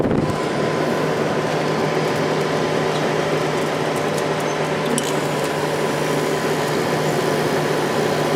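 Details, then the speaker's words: 1995 10,500 BTU window air conditioner, cleaned and fan motor oiled after being very dirty: smooth even airflow whoosh, faint steady hum, no squeal or scraping; fan motor runs normally, much better than before. "I cleaned it up oiled the motor and it runs a lot better now"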